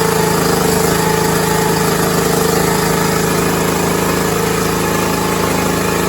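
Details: Six-year-old John Deere lawn tractor's small single engine, first start after checking the starter solenoid: ticks over at a steady, even rate with a constant hum, no misses or knocks; runs healthy.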